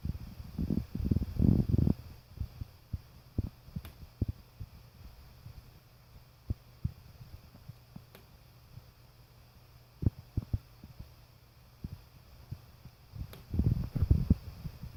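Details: Irregular sharp ticks, pops, creaks and dull knocks inside a bedroom wall over faint low hum: neighbor's natural-gas water heater metal exhaust flue heating and expanding, cooling and contracting.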